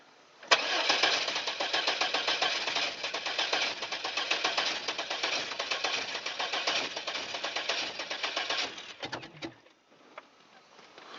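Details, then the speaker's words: Safari van, sat unused, 14°F cold start after drying wet plug wire ends and fitting rotor and cap: about eight seconds of steady starter cranking before the engine finally catches; hard start needing extended cranking. Owner also suspects an intake gasket leak. "[Music] shoot I'm sure I got probably from cranking it so much looks like we got her going"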